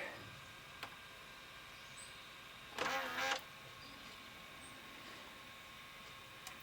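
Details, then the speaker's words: Sony SLV-676UC VHS VCR with a tape stuck inside; short whirring bursts of the eject mechanism between quiet stretches, trying but failing to eject the tape. "Come on, I got it started. Nope, she just does not want to eject."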